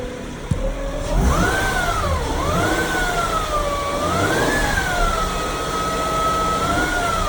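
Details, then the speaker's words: 2012 Acura MDX, timing belt, serpentine belt, transmission and transfer case fluids done within 7,000 miles, no power steering leaks: clear whistling whine tracking revs; tensioner pulley bearing considered but doubted, source unknown. "you can see you can hear it change up and down with rpms"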